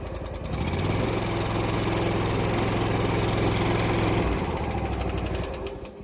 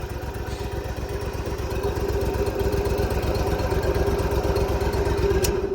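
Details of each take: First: Lawn mower engine chugs with steady tapping about three or four times a second over the exhaust, like loose valve lash; top-end valve noise suspected, possible valve adjustment, not confirmed. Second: But, uh, this one starts and runs really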